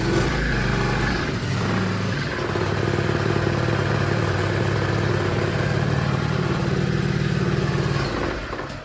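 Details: Small single-cylinder petrol engine (recoil rope start) started on choke; steady, even fast putter with no misses, knocks or rattles; running healthy after starting.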